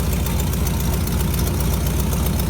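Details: 1957 GMC 370 2-ton truck, original Pontiac 347 V8, revived after 20 years sitting, idling on its own on its own tank: rough, low idle with a sharp puffing tick on each firing pulse from the blown exhaust donut; exhaust leak.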